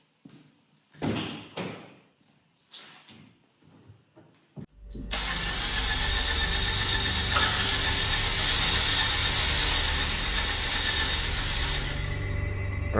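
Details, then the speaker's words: Fiat Punto (Copart purchase) after engine work with timing eyeballed without the tool: a few short clicks, then a long even crank of several seconds that never fires; cranks but won't start, original earth suspected. "So, she's cranking but she's not turning over."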